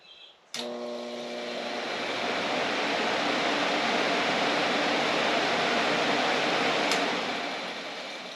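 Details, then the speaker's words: Three-wire two-speed electric radiator fan on a 1931 Ford Model A coupe hot rod (Ford 2.3L), bench-powered from a battery charger: kicks in abruptly and builds to a steady smooth airy whoosh, no ticking or grinding; fan works fine. "Yeah, it's a 2-speed fan. That's kind of cool. Never had one of those before."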